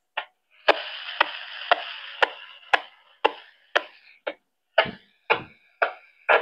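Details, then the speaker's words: Radio transceiver receiving on a repeater frequency: sharp clicks about twice a second over receiver hiss, caused by the signal meter's refresh bleeding into the audio receive path. "Takie klikanie, pukanie. Jest to związane według mnie z jakimś tam odświeżaniem, tak, aby coś się odświeżało i po prostu nanosi się na tor odbiorczy małej częstotliwości."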